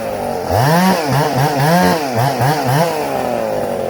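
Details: Ported Husqvarna 266 SE chainsaw idling with chain brake on; idle pitch swoops up and down about once a second, bogging under drag; weak coarse-thread clutch dragging and loading the engine at idle.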